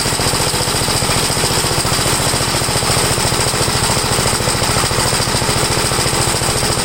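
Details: Single-cylinder engine of a 1962 Gravely L1, after a valve adjustment and with compression reading 45, warmed up. A fast, loud chatter holds at a steady high speed without surging or misses, before the high-side carburetor mixture is adjusted.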